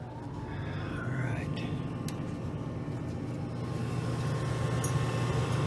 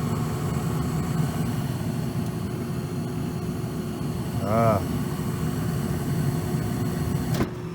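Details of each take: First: Shop furnace blower with an old shaft-through-type motor, restarted during a quick capacitor fix. Steady low hum with a soft airy rush, even, with no grinding or stutter. Normal blower operation. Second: Old shaft-through furnace blower motor in a shop: a steady low electrical hum with no normal rise of air rush; the shaft spins freely by hand, so a bad capacitor is suspected rather than a seized motor.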